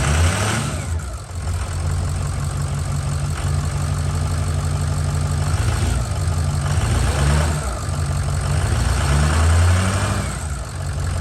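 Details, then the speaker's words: Ford 6.0 Power Stroke diesel after head gasket and head stud job, first start after oil priming and fuel bleed: deep, lumpy idle lacking the normal turbo whistle because the VGT turbo vanes are not actuating and stay stuck open. "okay so we ran into a bit of a snag full disclosure uh the veins are not actuated in this turbo which is why it sounds so funny um it should have the nice whistle"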